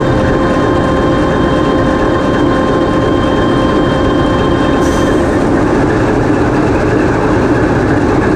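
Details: TEP70 0237 passenger diesel locomotive on run-in trials after repair, GoPro in the diesel engine room: loud, steady diesel roar with even mechanical hum and constant pitch, no knocks or misses; running smoothly.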